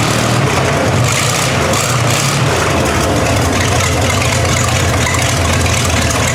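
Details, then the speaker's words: 1960 GMC V12 idling, miss persisting after new spark plugs: heavy idle with uneven, lumpy beat where one cylinder keeps dropping out. "Well, did you guys hear what I hear? The V12 has developed a miss. And I noticed that a while back when I started it up."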